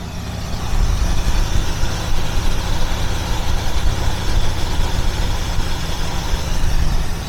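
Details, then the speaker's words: 1976 Mercury Marquis, after a no-spark no-start repair, held in gear under load: deep, steady low rumble with no miss, knock or hunting; engine idles smoothly, fixed. "now the question is what does it do when I put it in gear so we're going to put it in gear under load and see what happens then"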